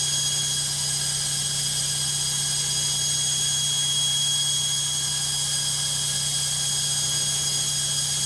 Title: LOGIK Washing Machine Noisy Spin 2